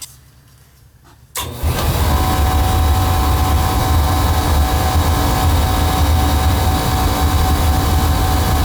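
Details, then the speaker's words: Beckett oil burner lighting off with deep roar and steady whine from worn motor bearings, after a bad protector relay (no fire after 1.5 minutes) caused reset trips; motor still runs, left for now. "Now that motor sounds like it's got a pretty bad whine to it."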